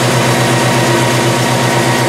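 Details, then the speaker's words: Early Bronco V8 idling after fitting new Percy's multilayer aluminum header gaskets to fix a passenger-side header exhaust leak: deep, steady even burble, no puffing or ticking at headers, already sounds quieter; normal idle. "yeah it already sounds quieter so but awesome so yeah hope it works"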